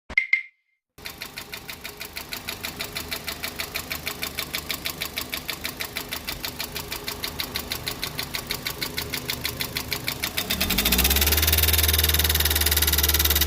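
About three sharp, regular knocks a second keep time with the engine and continue once it picks up; the cause is unknown.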